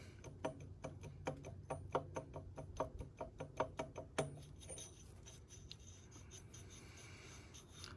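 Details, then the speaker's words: Lexus IS300 NA-T with a CX Racing turbo, removed after failure: turbine wheel turned by hand gives quick metallic ticks and scrapes, about three per second; nut backed off the turbine shaft, so the blades scrape the housing. "that should not be doing that. That should be on there tight, and that should be not making that noise. See, the nut's backing out, but when it's on there tight, yeah, it should not be making that noise."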